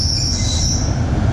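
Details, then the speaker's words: Loose serpentine belt slipping and squealing, high and steady over the engine rumble, when the car is cold or when the AC, blower, wipers and headlights load the alternator; the AC compressor sits below the alternator. "so the problem here is this is the alternator and the AC is down there so every time we put a lot of things on what's this doing is it's putting load that's alternate is going on the load and the belt is loose"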